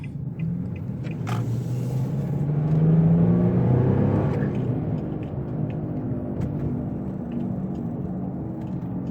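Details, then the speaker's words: Infiniti G35, driving: a low droning hum under the road noise swells during a right turn and is quiet turning the other way. It points to a worn driver's-side wheel bearing. "I said I know it's the driver's-side because when I make time like this you can't hear it but when I'm turning the opposite way making a right turn you could definitely hear"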